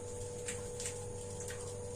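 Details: Newly installed gas water heater: sharp irregular ticks, about three in two seconds, over faint hum as igniter sparks after flame cuts out; overly sensitive or faulty thermostat suspected, not confirmed.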